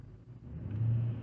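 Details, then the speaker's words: Infiniti M45 V8 revved after modifying the aluminum undertray that had caused drone and vibration: deep, smooth rumble swells evenly with no rattle, buzz or drone, revs a little freer; normal. "There you go. Nice and easy. No rattling and droning, buzzing, vibrating, and all that. It seems to rev a little freer too."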